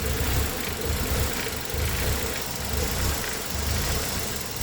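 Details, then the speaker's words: Engine with code P0400: idle swells and sags about once a second in an uneven lope during water and brake-cleaner vacuum-leak tests, and the idle changed. "I heard it changed idle. It did change idle."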